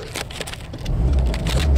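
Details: 1998 Jeep Cherokee no-spark no-start, fixed by replacing the bad cam sensor that had been swapped from a TJ (new crank sensor already fitted, coil tested good): uneven cranking under a second, then a steady low rumble, a clean normal start.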